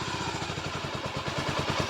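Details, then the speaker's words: Honda GB500 single, with no battery fitted, idling off choke: soft, even thump about nine or ten beats a second, no clatter or misses, very quiet. Fires right up; normal idle. "let's she'll yeah she'll idle off choke it is so quiet that bike is so loud compared to this one it's so quiet it's so funny but it fires right up no problems"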